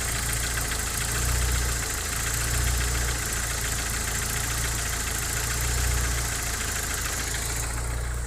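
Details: Opel C20NE engine with new Kolbenschmidt hydraulic lifters at rough idle: dull, uneven knock tapping a few times a second under the engine hum; source unidentified, owner asking for help.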